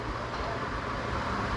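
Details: Nissan March after replacing faulty EGR motor and clearing the code: steady, even idle hum with no knocks, misses or surges; engine runs smoothly, no warning lights.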